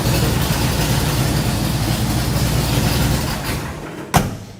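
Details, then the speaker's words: 1967 Ford Ultimate Highboy truck with a 2-into-1, 3.5-inch exhaust: loud, deep, unmuffled exhaust over a lumpy, choppy idle. The owner likes the tone but finds it too loud for off-roading and wants it quieter. "So it has a really good tone to it, really choppy idle. I really like that. I just wanted to take it down from like 10 to like maybe 6."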